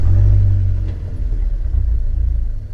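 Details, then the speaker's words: Fiat 124 Spider 1.4L MultiAir turbo, after swapping cylinder 3 and 4 coil packs, warm after about 30 minutes: steady even low rumble, no stumbles; idling smoothly now despite intermittent cylinder 4 misfire at idle. "right on this fire feels smooth this is okay right now"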